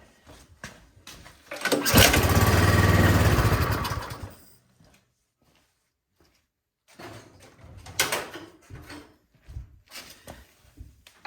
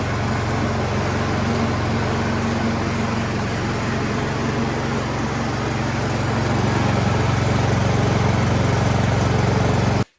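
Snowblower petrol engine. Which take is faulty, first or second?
first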